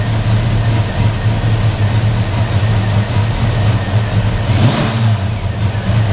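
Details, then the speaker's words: Car after rotor change with intake previously removed, still running rough with a big cloud of smoke: low, lumpy, uneven idle; owner suspects a damaged vacuum line from intake removal causing rough running. "the only other thing I can think of is when I took the intake off I [ __ ] up a vacuum liner or something which would explain it running rough"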